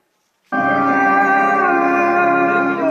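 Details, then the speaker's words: Amplifier with 12-0-12 transformer playing music from USB after IC replacement: clean output, no hum; humming fault was the IC. "लीजिए फ्रेंड्स, ये बिल्कुल सही हो चुका है। आईसी रिप्लेस कर दिया, उसके बाद ये ओके हो गया। इसकी फॉल्ट आईसी से था।"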